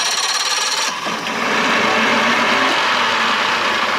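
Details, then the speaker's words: 1987 Johnson 6 hp two-stroke outboard, cold start after sitting over a week, using the fast-start lever; a brief crank, then it catches within a second into a quick, even idle. Normal start. "I haven't started this thing in over a week but it's been firing up real nice"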